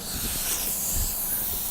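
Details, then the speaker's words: A radial tire, removed from the car, before a plug repair: a steady, sharp hiss of air still escaping through the puncture in the tread; an air leak from the puncture. "All right, a little bit better angle here for us, and you can hear the air still coming out."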